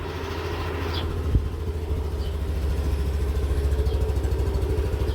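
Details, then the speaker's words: All-stock scooter idling right after an oil change (previous Zic oil run 2000 km, now Shell): even, low idle pulse, steady and quiet with one brief bump and no knocks or rattles; normal healthy idle. "Yan, smooth naman yung ating motor sa bagong oil niya. Sa bagay, all stock naman to."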